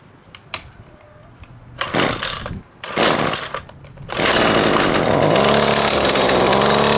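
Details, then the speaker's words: Husqvarna two-stroke string trimmer on premixed fuel, primer bulb pumped, started in choke position: several pulls and sputters, then a steady buzzing run, but only on choke. "okay so it was only running on choke right there"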